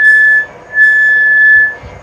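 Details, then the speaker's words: Mill Z axis squeaks on the way down: clear high-pitched steady squeal in two long bursts as the axis travels down; cause unknown, WD-40 considered. "oh yeah it has a little squeak in the Z let's see if we can get it to squeak it it likes to squeak on the way down"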